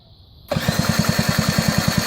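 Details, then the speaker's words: 50cc Shug Bear ATV quad with a newly installed 12V CDI box: quick, even starter pulses, roughly nine or ten a second, with no firing; crank no start, owner suspects the spark plug or the pulse generator pickup. "So we might have a problem with the spark plug, or the pulse generator pickup might be wrong."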